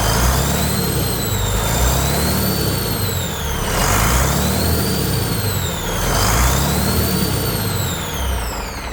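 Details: Detroit 40 series (rebranded Navistar DT466, possibly DT530) turbo diesel from a generator, sat outside 5+ years, running on ether only: deep steady rumble rising with throttle, turbo whistle, sounds good; pump return lines leaking fuel.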